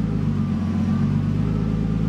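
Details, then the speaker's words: Nissan Skyline RB20 just started after converting to new OEM Audi R8 coil packs: loud, lumpy idle with uneven low thrum and occasional stumbles, like a constant misfire while struggling to hold idle before warming. "all right so let's see how she's feeling on this startup we'll try and get it to hold you can hear that it's actually it's like a constant misfire actually"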